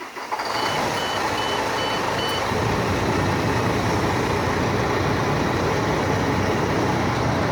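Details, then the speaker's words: International truck starting for an air brake test with the air system drained to zero: high beeps pulse over the diesel idle for about two seconds as the low-air-pressure warning sounds, before pressure builds. "it's going through its checks here we go that's our audible sound for our area seeing it's empty so now we're gonna build up the pressure"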